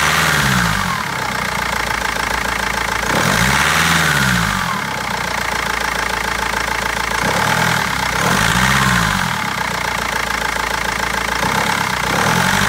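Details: BMW 320d diesel hunting and surging every few seconds, with a sharp rapid clatter over the idle and uneven misfiring beats; injectors or tappet suspected, cause unfound by garage and seller for over a month.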